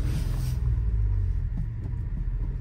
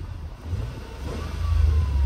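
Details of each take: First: Nissan Micra 3-cylinder at idle, codes cleared and plugs swapped: low, lumpy idle with uneven thump breaking rhythm and popping at the exhaust; misfire, owner hopes it is a coil pack. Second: Engine just after replacing the number 2 ignition coil with a Delphi unit: pulls up smoothly with a steady low drone, no more popping or banging from the exhaust; running normally, engine light still to be cleared.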